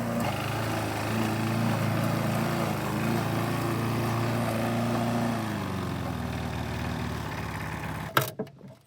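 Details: 1988 Alco push mower, Briggs and Stratton auto-choke engine, running again after a non-start repair (diaphragm, a common issue), old blunt blade: steady drone holding even speed without hunting or sputtering, then clean wind-down at shutdown; normal running.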